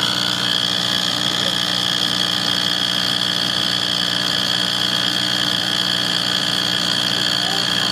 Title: Why is my wall furnace making this noise